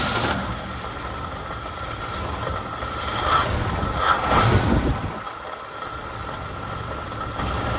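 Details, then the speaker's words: 1969 Chevrolet C10 inline-six with carburetor dumping excess fuel; uneven idle surging and stumbling before steadying as the mixture screw is adjusted; idle screw set too high suspected as the cause of the rough running. "Oh, it's running a little rough right now. It's dumping in there."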